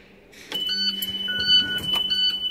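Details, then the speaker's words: International/Thomas school bus vandalock demo board: at key-on a steady high electronic alarm tone and chirps sound with no cranking; the vandalock lever has worked its way down from rough roads, so the bus won't start until the switch is repositioned. "if you ever have a problem with busting out starting the only here is the alarm it's a good chance this lever has knocked its way down just from rough road or whatever"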